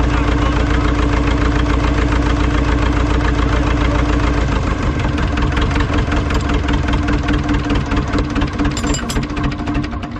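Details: Ford 2701E 240 cu in 4-cylinder diesel on grapple log loader, first run after 15 years sitting, after bleeding air from fuel system and adding a little ATF: even diesel chug about three to four beats per second, steady without misses; normal running.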